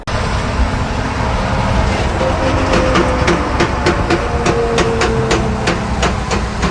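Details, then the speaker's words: Freightliner Cascadia with the front differential's input axles removed, noise demonstrated again: a steady run of sharp metallic clacks, about four a second, over a rough rumble from worn, damaged gears; the diff was full of debris and ugly oil from running low on oil. "la razón por la cual está así es porque sacamos el diferencial que ese sonido que que este camión estaba haciendo venía de acá y lo voy a demostrar una vez más"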